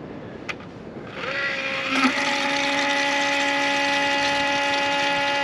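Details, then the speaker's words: John Deere 9430 tractor that died and won't start, heard outside cab with key off and engine stopped: low-pressure electric fuel pump comes on by itself with a steady even hum; suspected shorted or failed pump electronics. "so I'm outside the tractor now and as soon as I exited the tractor I could hear this low pressure fuel pump running with the key turned off from there if you can hear that it just came on again on its own"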